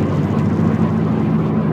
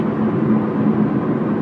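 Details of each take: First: 2007 Subaru Impreza hatch, 5-speed, with an intermittent wheel-bearing-type noise complaint, at highway speed: deep droning rumble with a wavering low hum and resonance through the car. Heavy vibration; a loose wheel is suspected first, not confirmed. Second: Subaru Impreza hatch, 5-speed manual, highway cruise: steady even road and drivetrain rumble with a slight hum, no thumping or shudder; intermittent bearing-type vibration absent at this moment, driveline running smoothly.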